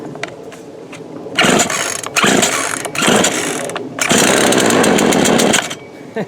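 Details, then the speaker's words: Craftsman 18-inch 42cc two-stroke chainsaw, bought new around 2013–2014, started after sitting about 5 years, running on old fuel with no bar oil: loud buzzy bursts rev up and drop back between blips, catching and running cleanly; normal running. "Well, it makes for a short video, but I'll get I have no clue where my sharpening file is at. Of course, I ain't got nothing to cut right now, but well, it's a short video, but anyway, it still runs."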